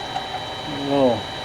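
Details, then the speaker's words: Mini lathe drilling out large Berdan primer pockets in 100-year-old 43 Spanish Remington UMC balloon-head brass. A brief ticking chatter rises mid-cut as the bit reaches the three flash holes, signalling full depth. "extra clicking noise when i get the drill dig in so far there's three flash holes in these primer pockets and when the drill bit diameter gets to those flash holes it makes that little sound and that tells me i've drilled deep enough"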